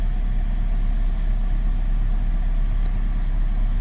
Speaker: let's go start the car and see what it sounds like sounds sounds like a car with 58,000 Miles